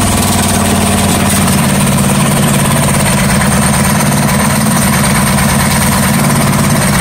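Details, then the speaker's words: Coleman CT100U minibike after an engine swap to a 212, first test run with a new exhaust header pipe replacing the old side pipe: loud, steady single-cylinder idle with a fast, even putter and no knocks or misses. Healthy, normal idle. "oh yay and that's what that new little badass sound plate or sad pipe sounds like it's a [ __ ] beast sounds better than than this one man"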